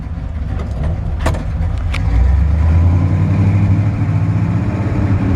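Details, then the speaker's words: 1964 Chevrolet C10 Custom Cab pickup, V8, automatic, side exhaust pipes, starter recently replaced with slight starter drag: deep loud rumble swelling on a short blip and settling evenly; strong, normal idle and rev. "I mean I'm almost maybe making a big deal out of it when I shouldn't be but it sounds awesome side exhaust pipes automatic"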